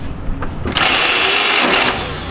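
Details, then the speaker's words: BMW E46 after new fuel pump fitted, starter already suspected ruined: a few soft cranking thumps then harsh metallic screech and grind as starter fails to mesh; flywheel teeth contacting the starter found stripped off. "sounded like we blew a tooth off the started before and now I think it's sheared hopefully the fly's hopefully the flywheel is good"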